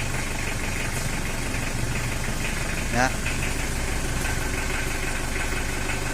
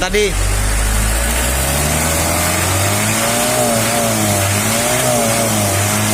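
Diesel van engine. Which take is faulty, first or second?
first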